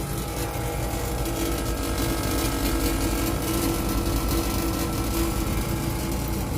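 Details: Panasonic 2hp air conditioner compressor after replacing the faulty capacitor (before, it kept kicking and would not run, only the fan was heard): steady low hum, constant mid tone, even fan noise; compressor runs smoothly without stalling or clicking.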